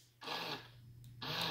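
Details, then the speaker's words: 2014 C7 Corvette fuel door lock actuator, quiet car: two short harsh grinding buzzes, one locking and one unlocking; stripped gear inside the actuator motor, repaired under warranty. "so basically what has happened and figured this out already that the the motor the gear inside that motor has gone bad"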